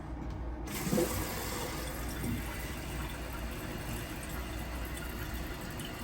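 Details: Toilet tank refilling after fill valve replacement on a previously running toilet, with the valve ring raised one notch for a higher water level: steady rushing water, low even hiss, no squeal or hammer; fill valve refilling normally.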